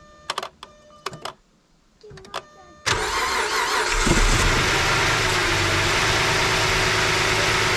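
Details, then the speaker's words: 2008 Chrysler 300 2.7 after water pump and timing chain job and intake manifold gasket repair for cylinder 1 misfire: a few clicks, then the engine fires into a steady even idle with no hiss or stumble; no vacuum leak heard. "But we don't hear no leak. Hey, we don't hear no leak."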